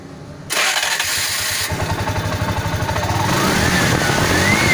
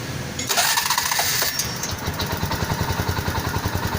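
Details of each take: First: TVS King engine with a good fuel pump: cranks, catches cleanly, swells up in revs and settles back without stumbling; fuel delivery healthy. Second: TVS King, two tests, first with good fuel pump, second with bad fuel pump: cranks, catches, then runs with an uneven stumbling beat of about three pulses a second, fuel starvation from a weak pump.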